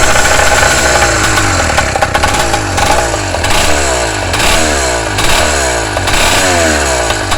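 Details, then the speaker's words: Engine on its first start-up before break-in: raw, loud run with a sharp puffing rasp from an exhaust leak visible at the front, to be fixed. "yeah I got exhaust leak right here I see that already not bad for first start up not bad"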